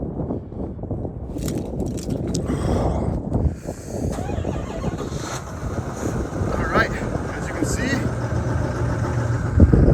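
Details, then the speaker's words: 2025 GMC Sierra Denali 6.6L Duramax diesel, 25,000 miles, remote cold start at 4°F after sitting several days; earlier cold-start struggles were traced to a faulty factory battery. Short crank, catches at once, settles into an even low clatter: normal cold start. "started right up uh if you watch my other videos from last year you can tell that this thing was struggling so uh we found out that was because I actually had a faulty battery from the factory"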